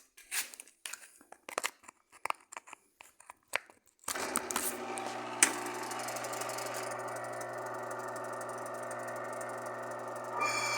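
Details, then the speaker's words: Belt-driven motor starts with a steady hum and a rough, hissy whine from a worn bearing; the noise grows as belt load increases and is quieter without load; bearing to be replaced. "bom então esse barulho é sentem está com a correia tem sem peso quando aumenta o peso então aumento barulho"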